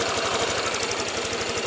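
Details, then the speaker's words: Honda Vario 150 after repair of a rough, clattering engine, with radiator refilled and weak battery jump-started, at idle: quick, even injector ticking about ten times a second over a smooth idle. Normal, nothing wrong. "Yang suara tik tik tik tik nih suara ini ya, injektor ini ya."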